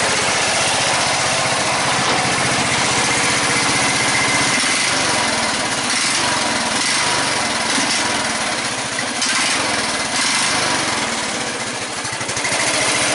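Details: 14.5 Briggs & Stratton single-cylinder lawn tractor after a no-start fix with a new fuel line, running with the air breather on; steady, even fast-idle putter without stumbling; normal idle, carburetor getting enough air.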